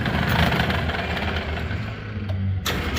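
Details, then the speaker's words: Brunswick A2 bowling pinsetter with power flicker and dropouts, cycling: continuous low mechanical churn with uneven rattles and knocks; an old Model A cam with steep dwell run at high speed; worn clutch. "I know, this clutch sounds like garbage. Because it is."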